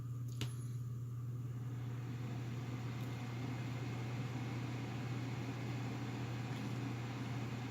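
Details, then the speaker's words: Corsair SP120 fans, then SP120s and the stock H60 radiator fan together, all at full speed in push-pull on a Corsair H60 (2018) cooler, Silverstone Sugo SG13 case. Steady low hum with even airy rush, no ticking: normal. "That's also full speed of the SP120s. And that's pretty much it, and both of them at the same time, full speed."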